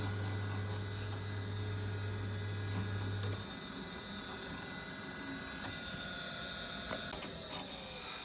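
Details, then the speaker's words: Boiler not firing, pump now running: faint steady low hum about three seconds then drops out without burner lighting; gas valve not holding open, suspected as the fault. "Just noticed this, I don't know if you can hear it. So the gas valve just isn't staying open or holding open. Maybe that's the issue."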